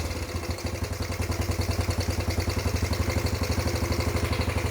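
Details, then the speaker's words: Freshly rebuilt, nearly 40-year-old Yamaha YFM80 Badger single-cylinder quad warming up after first start, idle turned up: quick even putter with no misses or knocks, valves much quieter – normal idle. "Run's good the valves are way quieter"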